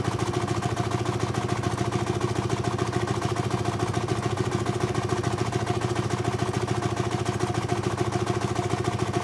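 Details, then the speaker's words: 4.5-inch scale model showman's traction engine in steam, first run of the year, near 110 psi working pressure: crisp, even chuffing at about three and a half beats a second; safety valve popping; running healthy. "i'm going to stop talking for a while and turn the sound volume up so you can hear the engine running"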